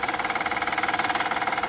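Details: Honda Pilot petrol V6 at idle: quick, even pulsing rattle about thirteen beats a second over a bright mechanical hum, worse over the last ten days; oil leaking onto the alternator from a valve was found; cause not confirmed.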